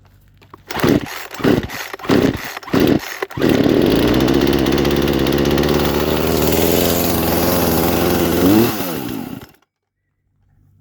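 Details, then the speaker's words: Poulan Pro chainsaw, bought needing a tune-up, high screw previously adjusted, spark plug looks worn: pull-start coughs, then catches and races fast and high-pitched without throttle, spinning chain; owner suspects idle (T) screw set too high. "all right so something tells me that the idle screw which it's that label T right there might be adjusted way too high because it made the blade definitely spin like very fast without even touching the throttle"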